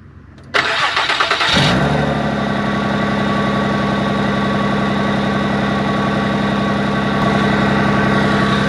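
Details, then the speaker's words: Infiniti I30 that sat about a year and a half (three years before that): starts right up and runs pretty good, but a loud, raspy idle with rapid puffing pulses from underneath; exhaust leak from a broken flex pipe under the motor. "so it does start right up it runs pretty good um there's a nasty exhaust leak the flex pipe under the motor is actually broken"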